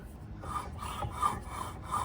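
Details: Honda ADV 160 scooter CVT after a long high-speed ride: dry rasping scrape in slow repeating strokes, rear pulley tight and the rear clutch rubbing against its clutch bell.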